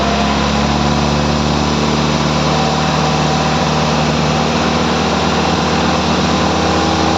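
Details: Morris Minor engine just started, off choke, bedding in new rubber engine mounts with the mounts loosened; still running a bit lumpy, revved and blipped to shake the engine about; loud steady drone, slightly uneven, rough running.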